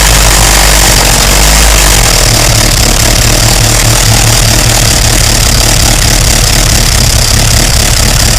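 Heavy, harsh engine roar that stays loud through idle and revs, with a rough clattering edge; cause of the noise unclear.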